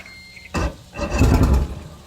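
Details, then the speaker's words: 115 hp outboard on Nitro Rick Clunn Edition bass boat: two short rough bursts trying to fire, then dies; fuel-starved, needs gas pumped (primed), after which it started first crank. "Did you hear that noise? That means it needs to have some gas pumped into it."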